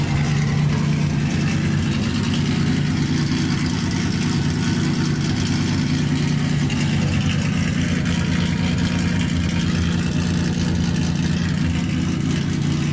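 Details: Datsun 280Z with freshly rebuilt engine, first start after fitting the coil wire, on a jump box, no muffler, lower coolant hose missing so only run briefly: a steady idle with a deep, blaring, undamped roar. Loud exhaust from missing muffler.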